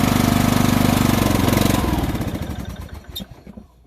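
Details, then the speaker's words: Poulan 38-inch riding mower, single-cylinder: a steady pulse of about four per second fades, slows and dies within two seconds. Fuel flow stops until the cap is opened, so the fuel cap vent is stuck or clogged. The fuel is possibly old and the carburetor possibly gummed up. "and it completely stops but as soon as i open up the the cap i can hear it pulling air and that's got like a really nice flow to it so that tells me that that the vent and that cap is stuck or clogged"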